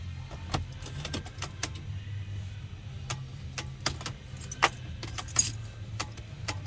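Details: Early Mercedes Sprinter (2007–2018 range) with intermittent no-start: uneven clicks and key rattle over a low buzzing whir as the electronic steering lock (ESL) motor fails to release.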